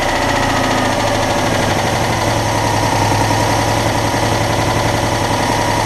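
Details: Citroën Dyane 6 air-cooled twin after its carburetor was cleaned and all jets removed and cleaned. It had been cutting out at idle, and the owner suspects an air leak at a gasket. Now an even, regular low beat with no stumbling: normal idle.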